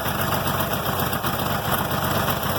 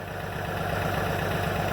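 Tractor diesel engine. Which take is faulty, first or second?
first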